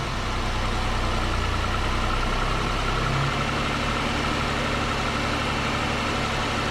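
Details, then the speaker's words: Steady idle of a 2005 Pontiac Grand Prix GM 3800 Series III V6, after a lower intake manifold gasket replacement, with a faint, rapid high chirp from the alternator pulley; lubricant spray silenced it, so the pulley probably needs replacing. "so that chirp that you can hear is coming from the alternator pulley i sprayed a little bit of lubricant on there and then always went away so i probably need to get in there and replace that pulley"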